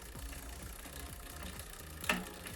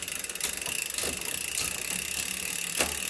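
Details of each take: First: Bicycle rear derailleur adjustment, cable tension increased to maximum while pedaling: quiet rhythmic scraping ticks each pedal stroke as the chain rubs cog number 10 (third smallest); excess cable tension limit. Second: Bicycle rear derailleur after indexing adjustment, nearly finished with the low limit screw still slightly tight: freewheel buzz with crisp single clicks as it steps gears, no chatter or hesitation.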